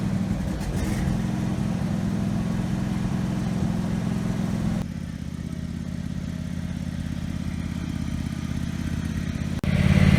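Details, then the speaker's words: Husqvarna lawn tractor single-cylinder engine after governor arm repair (it previously raced out of control), run outside: steady drone held without hunting or surging; governor holding revs properly. "Going to test the throttle real quick to make sure it works right. Yeah, 1900 RPM, that's pretty good."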